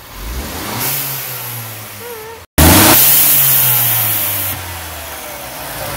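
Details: Mercedes-Benz CLA 250 after installing a diverter valve spacer: two sharp revs, each rising then falling away with a hissy rush on the overrun; turbo diverter valve venting.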